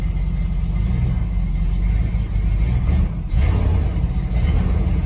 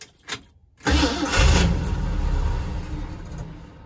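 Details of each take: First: Truck that sat about four years, choke not hooked up, carburetor suspected: a deep, rough V8 rumble rising and falling with the throttle, lumpy and needing nursing while cold, but running steadily. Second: Newly acquired truck with the choke not hooked up, start needing several pedal pumps: after a pause the engine catches, roars briefly, then sags and fades as if starving. Hard starting caused by the disconnected choke.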